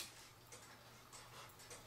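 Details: Cuckoo clock hung after cleaning and oiling: quiet ticks land unevenly, tick and tock spaced differently; out of beat, fixed by bending the back wire behind the pendulum wire to level the movement.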